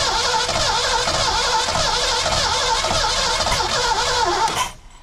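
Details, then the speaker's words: 1982 McLaren Mustang (Fox body) abandoned about 30 years, fitted with a factory coil, timing being adjusted. Harsh uneven cranking, about four beats a second, with sputters that never catch; won't start, timing suspected. "come on it's like it doesn't have enough timing so that's way too much back it up"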